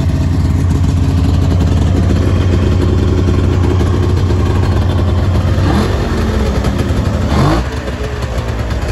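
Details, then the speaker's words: Snowmobile idling steady and even with a smooth rumble and a couple of brief blips; idle is good. Known issues are a loose clutch bolt and a bent ski tip. "So I'll go ahead and I'll fire it up for you guys. Idle's really good."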